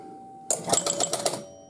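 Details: 1971 Gottlieb Home Run pinball machine during base-runner repair: hitting a triple gives a burst of about six quick relay clacks and chime strikes in a second, then the steady hum returns; the triple scores and advances runners normally.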